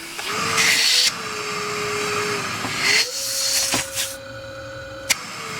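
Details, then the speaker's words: ResMed CPAP, almost 5 years old, whining on inhale; reassembled and run in mask-fit mode: a steady whine around 400–500 Hz wavering over the airflow rush, with the blower motor suspected worn. "Yeah, blowing. Still a bit of a whine. Sad face. Oh. Still a little bit of a whine."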